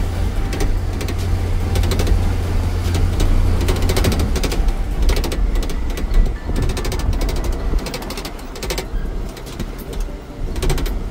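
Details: Iveco Daily 35-150 van driving: sharp, irregular rattles over low road rumble from the door; cause a cracked side panel, badly done welding that came loose and missing rubber; planned fix is MIG spot welding and fitting rubber with silicone.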